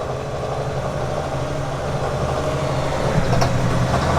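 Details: 2019 RAM 3500 Cummins High Output diesel, recorded at pickup after 600 miles on bad diesel from a truck-stop fill: low, uneven idle that labours and wavers with hydraulic lash adjuster noise; rough running from contaminated fuel.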